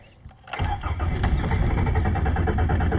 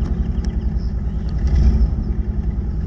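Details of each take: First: 1981 Toyota Tercel, carbureted, dead battery jump-started: starter churns roughly, then the engine stumbles into an uneven, lumpy run about three to four beats a second; sometimes hard to start. Cause unconfirmed. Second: 1981 Toyota Tercel, carbureted, idling right after a jump start from a dead battery; low, slightly lumpy idle with a steady pulse, no knocking or scraping, engine still warming up from cold. Normal idle.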